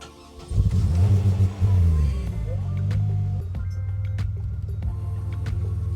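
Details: 2003 Chevrolet Monte Carlo after fuel pump and fuel level sender replacement: short crank, catches and revs, then steady even idle with no misses or knocks, despite owner's known vacuum leak.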